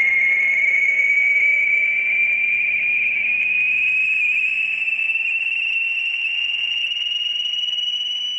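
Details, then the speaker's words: Ham radio receiver on 80 meter band near 3.846 MHz: clean whistle tone glides steadily upward over quiet hiss; sweeping interference carrier crossing the band roughly every 10 minutes all morning, source unknown. "that is the signal that is sweeping across the amateur radio 80 meter band it's been doing it all morning"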